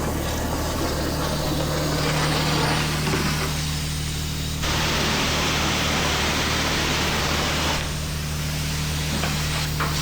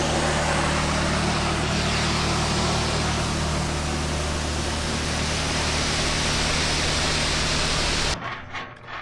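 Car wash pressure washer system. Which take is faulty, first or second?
second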